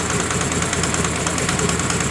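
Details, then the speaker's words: Honda Grazia BS4 scooter idling with its covers off: quick, even ticking knock over the engine note, steady with speed; owner ruled out the timing chain. Loose spark plug leaking compression. "देख का रहे हैं पूरा तरह से पलक हमारा loss है पता नहीं कहां पर है दोस्तों"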